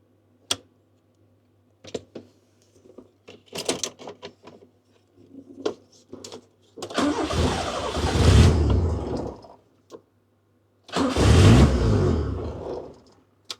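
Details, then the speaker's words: Honda Civic Nouva under wiring restoration: a click, then two long bursts of starter cranking that never fire. The tapped yellow wire shows no power; the blue or yellow wire is suspected of leaving the idle and ignition circuit dead, and there is a strong petrol smell. "Nah ini ada masalah nih guys. Ini ada masalah dengan berhubungan dengan pengapian ini. Ini berarti kabel biru ini atau kuning ini ada hubungannya dengan langsam dan pengapian yang mati."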